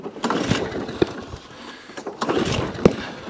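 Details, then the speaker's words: ATCO lawnmower, Briggs & Stratton, heavily primed, fuel coming out of air filter (working or flooding): scattered sharp pops every second or two, won't keep running; failed Champion spark plug suspected. "all right let's put a new plug in i dare say that plug's failed"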